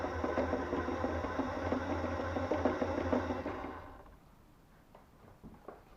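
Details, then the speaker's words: Blue RC Mini Cooper S model car driving: quick, fairly regular tapping about three times a second over the motor whir, stopping as the car stops; owner suspects rear end rocking makes front suspension hit bodywork or bottom out, possibly bent rear right axle; unconfirmed. "So I think with that rocking up and down, that's making the front end bounce, and I think the noise actually comes from the front end suspension hitting the bodywork or bottoming out, but I think it's the back end that's actually going up and down."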